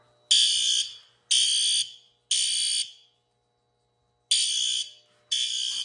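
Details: Fire alarm horn on a demo-board panel, under system test: loud harsh horn blasts about a second each, three in a row, a pause, then repeating, the temporal-three evacuation signal.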